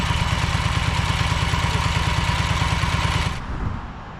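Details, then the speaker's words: Ferris 52-inch commercial hydro walk-behind mower twin, before repair: uneven lumpy thumping about three beats a second with heavy low pulse, smoking, worse with PTO engaged, low power; one cylinder not firing due to a carb o-ring blocking a fuel jet. "you can here and see it's smoking and especially when you engage the PTO it runs even worse it doesn't have a lot of power"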